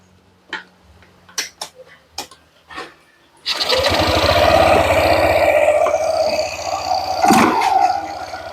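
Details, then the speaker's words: Yamaha NMAX 155 New started from standstill with a very loose engine hanger mount (pandel); coarse buzzing rattle shakes through the body after handling clicks, engine vibration from the loose engine hanger. "Jadi getarnya sampai ke bodi ya gini. Nah ini pandelnya getarnya."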